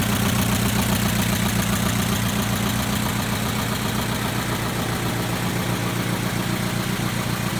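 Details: 2011 Chevrolet Equinox LT, 2.4L, 132,000 miles, at idle: light, regular top-end ticking about two and a half per second over a steady idle; cause unknown.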